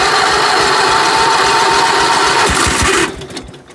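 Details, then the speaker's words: 16 hp Briggs engine cold-started at 12 degrees, under a snow-covered tarp: steady rhythmic chuffing at about four beats per second after a burst of louder firing. A clean, normal cold start. "that's a cold start 12 degrees can't beat that"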